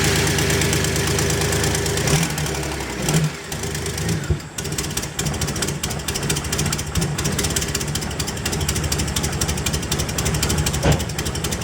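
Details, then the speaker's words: 2004 BMW 325i after oil filter housing gasket, CCV system and coolant hose replacement: first start runs rough, uneven and stumbling. "Well, that sounds like crap. I'm gonna say something's not happy."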